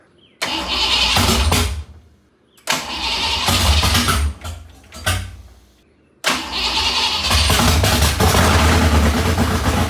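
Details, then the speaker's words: Foxbody Mustang build (5.0 HO, T5, upgraded fuel pump, new headers) on first start attempt: long cranking bursts catch and roar briefly, then die, three times; it fires only with the throttle blade wide open; they suspect the tune. "we found out like when we stopped messing with it a minute ago that the car would like it would it would fire up, but other than that, it just like cranks and cranks and cranks and cranks."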